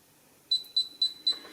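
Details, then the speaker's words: Modified Chinese GP Pointer pinpointer in an air test on a gold ring, detecting at about 1/2 to 3/4 inch: four crisp high beeps a quarter second apart; now sounds at the tip, unlike before the fix. "It detects it at that. But listen. You hear that? Before when you did touch the end, it didn't do that."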